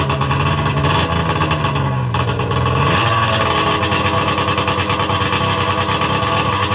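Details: Sea-Doo 717/720 two-stroke engine, first start from ice cold after complete top-end and rotary valve rebuild, idle set all the way down; fires, pitch sweeps up, settles into fast crackly two-stroke idle; normal start and idle.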